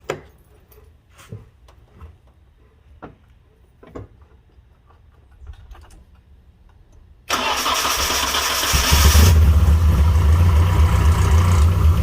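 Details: Nissan 240SX petrol engine starts after a few taps and idles roughly with busy top-end clatter; failed rocker arms found, valve cover gasket also needing replacement.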